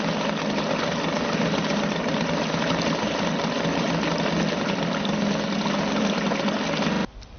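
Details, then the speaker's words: Suzuki DT 2.2 HP two-stroke outboard in a test tank ticking over with the fuel turned off, burning remaining carburetor mixture until it cuts off; steady fast light beat, no misses, healthy idle. "On tick over like that, it will run for about 4 minutes, so I don't think you want to, everything's turned off, it's still running away. Just shows it's a very economical little engine."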